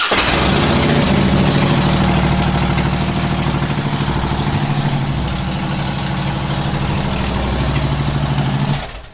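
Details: Harley-Davidson V-twin with starter click problem, first start of spring using a direct starter button bypassing the starter system: catches straight away, loping potato idle about three pulses a second, then shuts off; healthy.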